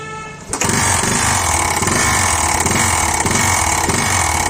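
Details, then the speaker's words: Bajaj Discover 112cc single-cylinder bike after another mechanic's engine work: starts, then hard rapid knocking over the exhaust beat; piston hitting the cylinder head, marks on the piston. "चोट लगना . इसीलिए यह खटखटाने की आवाज़ यह होना ही था।"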